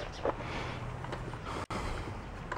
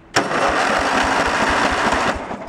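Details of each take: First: Junk lawn tractor's small engine, which has spark and a full fuel tank, cranked after priming with choke on: starter spins steadily for several seconds but it never fires; not getting fuel, or the carb is bad. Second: Junk riding lawn mower tractor, starter powered directly from a jumper pack bypassing the safeties: brisk cranking with even compression pulses about five a second, steady and strong; normal cranking.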